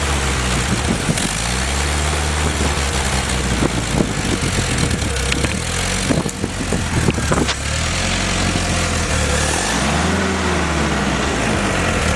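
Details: Willys F134 engine on a test stand (no transmission), pressure-lubed with 30-weight break-in oil, new Pertronix distributor and coil, new starter; cycled between about 800 and 2000–2200 rpm, smooth rise and fall, screw-jack clatter, clean running, normal break-in.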